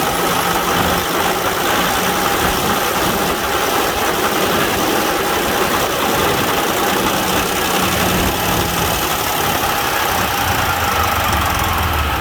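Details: Semi truck diesel idling right after a Davco fuel filter replacement: even, steady rumble with busy top-end clatter, no stumble or misfire; normal idle.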